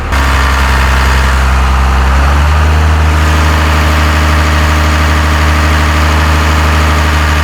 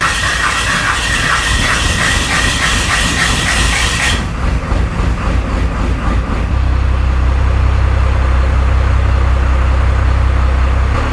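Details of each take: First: 12-valve Cummins in a 1993 Dodge W250, first start after head gasket replacement and fuel bleeding: steady even diesel idle, smooth low rumble, no knocks or misses; idle slightly low, good oil and fuel pressure; normal. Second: 1993 Dodge W250 12-valve Cummins diesel, first start after head gasket replacement and fuel bleeding, catches and settles into a slow, heavy, even chug with deep drone; good oil and fuel pressure, but idle sits too low and needs raising.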